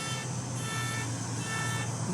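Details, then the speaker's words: Indoors, something described as a machine has been squealing continuously for about 15 minutes, a steady high-pitched squeal over a low hum, cause unknown. Car alarm sounding continuously. "この機械はもう15分くらいずっとキーキー鳴っています。中で何が起きたのかわかりません"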